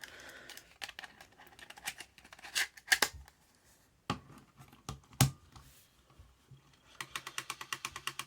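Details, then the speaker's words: Panasonic SJ-MR250 MiniDisc recorder in a Panasonic Multi Cradle reading a demo disc: irregular dry clicks and ticks, then a quicker run of even ticks; trouble reading, owner suspects faulty laser sled position sensor. "yeah that doesn't sound right does it I think this has got a problem with the um um the laser sled position sensor"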